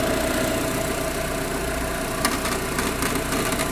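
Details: Proton Exora CPS engine at idle: an uneven, fast metallic rattle about three or four a second. Source not pinned down.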